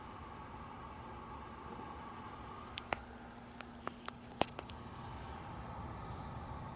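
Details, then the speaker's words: Lasko tower heater on low fan setting: quiet, even whirring hum with faint steady tone and light clicks; normal fan operation on low. "let's put it to low and i'll give you a set shot of what it sounds like on low beeps twice and it's on low"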